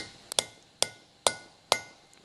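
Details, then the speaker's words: Cylinder head rebuild, fitting valve stem seals by tapping them on with a socket: sharp metallic taps about every half second, the ring turning higher and cleaner once the seal is fully seated. "you hear that different tone and that tells you it's seated properly"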